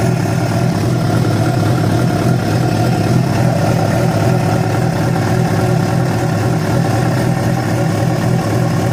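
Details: Yamaha FZ6 with abnormal engine noise that began after riding about 70 km on two cylinders because of a failed ignition coil connector: constant heavy rumble with a rough, irregular low throb; source unclear.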